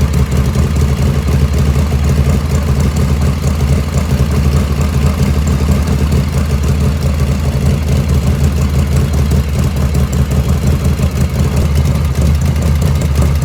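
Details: 1985 Harley FXRS Evo just restarted after reassembly: steady, even low V-twin lope at idle, no misses or stumbles; normal idle.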